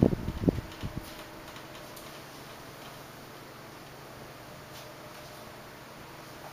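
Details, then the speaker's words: 1976 Electrohome 30 cm desk fan with four clear plastic blades, on low speed while oscillating: a few sharp cracks at the start over a soft, quiet fan hum; the cracking comes with the oscillation. "it's very quiet as you can hear but it makes a few cracking sounds like I said when it oscillates"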